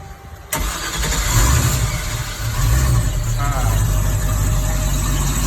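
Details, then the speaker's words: 2006 MasterCraft X15 boat engine with hard-start history after fuel pump replacement, on a fake lake, fuel pressure gauge reading 50–58: starter catches after half a second and fires straight into a steady, even idle; clean normal start. "Okay, still getting 58. That seemed to start awesome."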